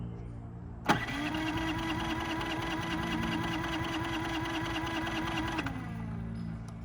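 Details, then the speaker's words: Brand-new Harbor Freight Predator 3500 generator, warm after running a while, tried choke off then on: steady grinding crank with pull-like whir for about five seconds, stops without firing; hard starting warm or cold though fine under load once running. "it is a little embarrassing that like uh it's the only one we've had trouble starting two or three times in a row"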